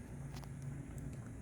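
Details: Trane/American Standard rooftop package AC unit after installing a 5-2-1 compressor saver hard-start kit (start reading dropped from 158 to 76): steady low electrical hum, even smooth drone, no rattle or labouring; compressor running normally.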